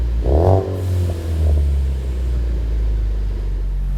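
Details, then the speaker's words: 2016-2018 Ford Focus RS with a newly installed MagnaFlow 3" stainless cat-back exhaust, speaker sound generator disconnected: deep, even rumble that swells on throttle and settles steadily with no rattles or leaks; deeper tone than the factory system. "has a deeper tone than the factory system, and for once that sound's coming from the exhaust, not the speakers."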